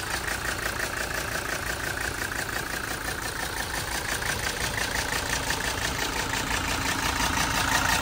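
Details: 1980 Mercedes 300SD turbo diesel, 141K miles, fires right up with no excessive smoke: steady even idle clatter, about three beats a second, no knocks or misses; motor sounds very healthy and mechanically sound.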